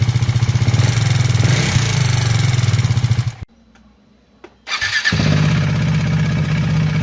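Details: KTM Duke 390 V2 after repair, camshafts (intake and exhaust) and two rocker arms replaced, valve clearances in spec (previous fault: gasket maker blocking head oil passage, low oil pressure); steady single-cylinder idle with light even ticking, normal for KTM: normal idle.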